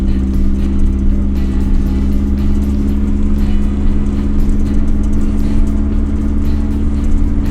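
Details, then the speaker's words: Nissan 240SX that sat about 20 years, first road drive after revival: deep, loud, raw boomy exhaust rumble as the engine pulls, with slight hesitation; owner suspects part of the exhaust is breaking up, not confirmed. "think we're losing part of the exhaust oh that's breaking up"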